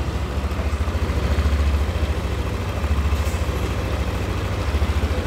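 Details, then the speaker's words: Yamaha All New NMAX 155 VVA scooter, idle after valve clearance check and adjustment that cured a rough engine noise on pull-away; steady, even low putter with no tapping, smooth and back to standard spec. "suara mesin sudah kembali normal Ya udah kembali halus sesuai spesifikasi standarnya ya"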